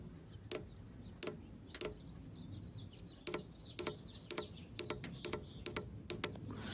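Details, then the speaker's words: 1991 Mercedes 500SL cold start valve removed and bench-tested on a 12 V battery during cold start troubleshooting: about a dozen sharp, isolated clicks in seven seconds, one per power tap; the valve activates as it should. "all right you hear that so that uh that means that it's activating"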